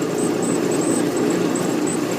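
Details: Old Maytag natural-gas dryer (model CDG46, 18,000 BTU, possibly 1960s), after replacing the high-limit switch (210°F to 250°F) for a low-heat problem, panel open: steady, even hum with a soft mid-pitched drone, no knocks, squeals or scraping; drum and motor healthy.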